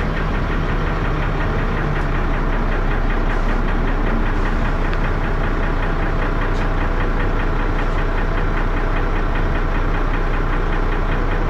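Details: Diesel bus engine (First Manchester Dennis Arrow, fleet 31923, P423PVW) at idle, deep uneven knock about four times a second under a rough thrashing drone; engine knock, cause unknown.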